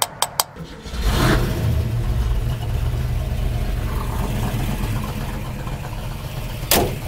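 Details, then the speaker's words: 400HP 289 V8 in a 1967 Mustang with a Holley carburetor that had been dumping fuel from a stuck needle and seat; after a few taps on the carb it catches and settles into a steady, even low rumble with no stumbling. "good just a stuck needle and seat a few rappa tap taps fixed it right all right we're moving"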